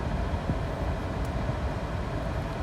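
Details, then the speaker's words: 2007 Toyota Prius engine, misfires from a cracked coil boot now fixed with dielectric grease; the 12V battery is weak and the hybrid battery has a low block. The low rumble runs even with no stumbles or skipped beats, no misfires now, and it is charging. "okay so the engine is actually behaving now there's no misfires it charging"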